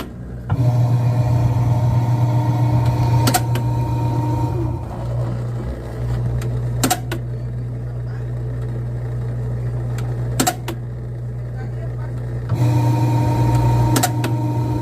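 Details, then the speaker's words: LG Turbodrum washing machine that leaves clothes wet after spin: loud steady motor hum with a sharp clack about every three and a half seconds as the drain motor retracts then snaps back; suspected faulty drain motor, replaced. "Y entonces lo que él hacía era que recogía y luego se devolvía de golpe por lo que podemos intuir que está dañado"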